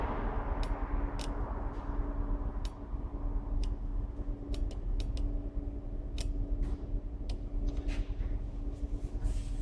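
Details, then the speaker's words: Blower motor relay from a Peugeot Partner (Citroen Berlingo, 2009 onward), known-good secondhand unit bench-tested on a battery; sharp, crisp single clicks over faint hum with meter reading changing; relay switching properly. "you can see you're having a reading there and you're clicking and that's how you know that the relay is good"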